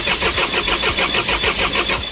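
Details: Isuzu 4HG1 diesel with defective supply pump module: starter cranks steadily at about six compression pulses a second but the engine never catches; crank, no start.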